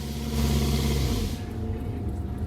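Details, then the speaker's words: MCI5 bus, Detroit Diesel 8V71, newly repaired jake brakes in use: deep diesel drone holds steady then eases off, no knocking or misfire; driver feels it holding the bus back; engine brake working normally. "I mean, I can feel it holding it back. Yeah, I can feel it because I go forward up Yep. onto the steering wheel."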